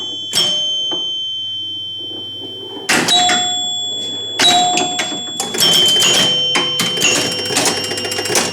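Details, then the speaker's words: Rebuilt chime unit in an EM Gottlieb pinball machine with the glass on, during play: clear low, medium and high bell tones for tens, hundreds and thousands over play noise; normal chime operation. "But just listen, you'll hear low, medium, and high."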